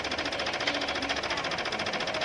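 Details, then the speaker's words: Brother DCP-L2540DW printer scanner with a "scan unable AF" error: fast, even rattling clicks about ten a second inside the unit while the laser scanner carriage stays stuck and won't move. A scanner gear grinding noise precedes the panel error. "May tumutunog po sa scanner po niya sa loob. Tapos hindi gumagalaw yung laser scanner po niya. Parang nag-stuck siya."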